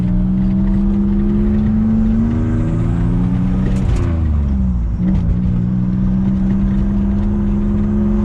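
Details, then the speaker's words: Nissan Z31 300ZX turbo on test drive after transmission repair: revs climb, then a sharp whoosh as the throttle snaps shut and revs drop; blow-off valve venting normally. "Blow valve sounds pretty cool. I don't know if you guys can hear it or not,"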